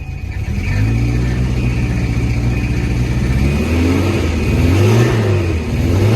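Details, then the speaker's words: $500 Volvo 240, 210,000 miles, long unrun, on old gas: engine revs and settles with a coarse, gnarly rough noise over the low drone; owner hopes it is just the belts or a bearing, unconfirmed. "I'm hoping that's a that noise is just the belts and out of bearing because it sounds pretty gnarly"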